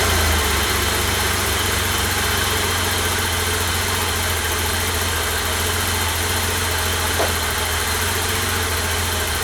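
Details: 1988 BMW E32 735iL with rebuilt M30 B35 straight-six, first start after the rebuild (fuel pump primed; original block had 395k): smooth, even idle with a low hum, no knocks, misses or rattles; normal idle.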